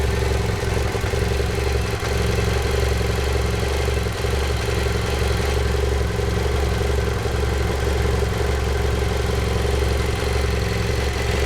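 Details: 2010 BMW F800GS with 17000 km at a steady idle, with a loose, rapid ticking clatter over the low engine hum. The owner suspects valves or piston slap, and the cause is unconfirmed.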